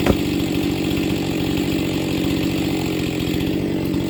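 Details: New Husqvarna 268XP chainsaw during break-in, first cuts in wood: pulls steadily through the cut but engine note slows and speeds up in waves under load; engine speed surging, not yet run in.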